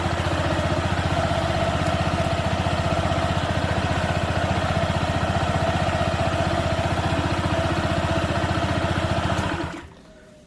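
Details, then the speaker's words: Honda PCX 160 with Nmax double clutch linings after 2000 km, idling after the clutch was retightened and reassembled: steady, even beat with no roughness before shutdown; the CVT sounds healthy, unlike the rough sound on deceleration before. "suaranya seperti itu halus teman-teman beda dengan Sebelum saya kasih lamporting dia ketika turun gas ada suara kasarnya"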